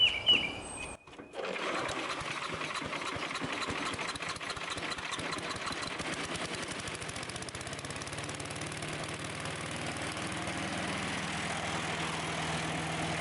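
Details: Sears Craftsman 9HP chipper/shredder, over 30 years old and unused 5–6 years, just after its leaking carburetor was fixed and bench-tested. Started on choke at half throttle after a few pulls; it settles into a steady, even putter with no misses or surging. Carb no longer leaks; may need fine-tuning.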